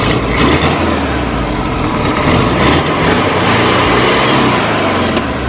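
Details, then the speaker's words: VW Kombi that bogged at full throttle with retarded timing, after carburetor cleaning and ignition timing set: engine picks up cleanly, holds a full even roar, revs freely, now more stable; belt loose and cracked, needs replacing. "y el motorcito pues ya está un poco más más estable"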